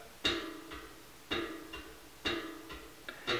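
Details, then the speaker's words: Bicycle wheel being tensioned and trued on a stand: light tick about once a second, once per wheel turn, where the pinned-and-slotted rim joint with a small machining defect brushes the truing gauge arm. "that's actually the weld so this is a rim imperfection ction hear"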